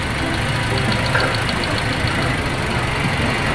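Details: Toyota Rush with no check engine light: steady but low idle with a faint uneven tick and slight roughness; ignition coils tested fine, and the unstable rpm traced to worn spark plugs.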